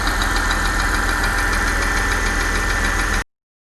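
Steady idle with a fast light tick riding on it, roughly three per second, even and unchanging; source of the ticking undetermined.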